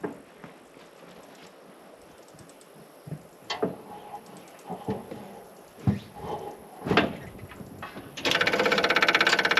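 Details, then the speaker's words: Engine started after reinstalling the exhaust during exhaust repair, battery had died: after some handling noise it catches into a steady, even idle with no blowing or rasp; definitely quieter, normal idle. "[Music] definitely quieter if you ask me all right"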